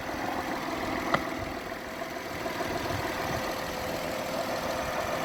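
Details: Honda Inspire/Accord 3.5L V6 (2008-12), $60 fuel pump and strainer replacement for cold hard start: soft, even idle with quiet steady murmur, no knocks or misses; idling smoothly.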